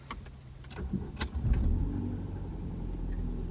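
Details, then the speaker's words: Ford Fiesta 1.6 Titanium with Powershift gearbox at start-up: a few clunks and rustles as it fires (owner notes an odd stretching/expansion sound from the center at start, source not found), then a steady low even hum; no problem once running, normal idle. "Çalıştıktan sonra herhangi bir problem yok."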